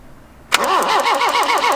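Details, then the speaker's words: 1981 Toyota Hilux RN46 with 18R-G engine, unstarted for at least three years, audio compression test while cranking: starter spins it with an even beat, about seven pulses a second, none weak or missing; compression good. "that's fine and go again yeah that's pretty good"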